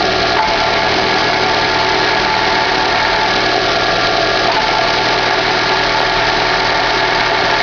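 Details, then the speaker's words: 2011 Chevrolet Classic at idle, clutch pedal released: constant bearing-like whirring drone that stops when clutch pressed; clutch and release bearing already replaced but noise remains, source unconfirmed. "Você aperta o pé na embreagem, o barulho some, você solta, o barulho volta."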